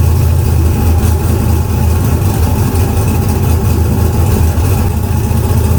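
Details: Car "Fancy" after a 6.2 LS swap replacing a 406 SBC with an out-of-balance Scat crank: deep, steady V8 idle with an even lumpy beat and no misses, knocks or hunting.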